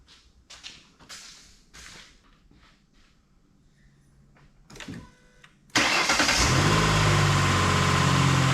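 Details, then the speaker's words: 2008 Ford Explorer 4.0 engine just reinstalled: cranks after clicking and catches into a busy idle with a light metallic chatter; the timing chains are still rattling. "pulled it back apart to find out what was going wrong with it and short story is um time and times are still rattling"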